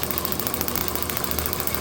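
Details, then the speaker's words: Overhauled IHC H4 magneto from a Farmall MD, meant for a TD-6 crawler, with the distributor bypassed and spark taken straight off the coil; crisp, rapid, evenly spaced snaps with no misses: magneto firing normally. "So, I'm just getting co I'm just getting spark every single um every single time the point's open here. It's sending spark right here to that terminal."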